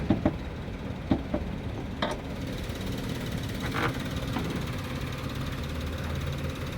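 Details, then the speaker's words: 2015 Karimun Wagon GS Matic (AGS), about 90,000–95,000 km, engine started for inspection; quiet, even idle hum under a few handling clicks, no knock or tick, engine sounds normal, normal idle. "Mesinnya normal teman-teman. Ini kita nyalakan ya."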